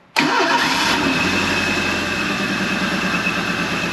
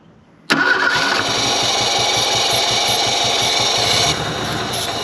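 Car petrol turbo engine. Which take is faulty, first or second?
second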